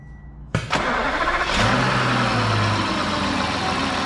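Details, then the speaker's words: Audi Q7 6.0 V12 TDI, damaged non-runner, first start attempt: quiet, then a short crank catches within a second, flares and settles to a smooth even idle; intercooler pipe seen leaking slightly, no smoke. "red right nice it's alive"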